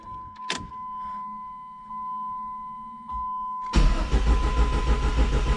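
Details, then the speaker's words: Dodge Neon SRT-4 first start, fuel pump primed: a chime, then starter churns steadily about three beats per second but engine never catches; owner suspects air in the fuel system. "I gotta get some air out of that uh that fuel system I bet"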